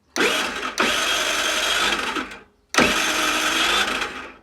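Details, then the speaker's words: Longjia 50cc scooter after carb cleaning and electrics work, cranked on a 12 V portable jump starter with no battery: two bursts of fast starter whirring, about two seconds each, with no firing despite confirmed spark and fuel; cranking but no start, cause unknown. "Okay. It's having fuel, it's got spark. Why isn't it starting up? Bit odd. Got spark, got fuel, but it won't start."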